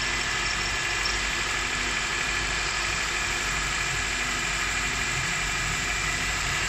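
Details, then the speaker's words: 2003–2007 Honda Accord 2.4L at idle after water is poured on the worn serpentine drive belt: even idle with only a soft hiss, the chirp and squeal gone, confirming the belt was slipping. "So the noise has faded a bit, but you're going to see once I pour a bit of water on the drive belt, the noise is going to go completely."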